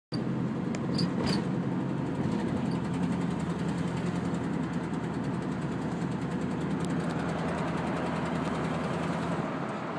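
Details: 1987 Chevrolet K5 Blazer: low uneven idle with faint rapid tapping; engine knock with rough idle, cause unknown.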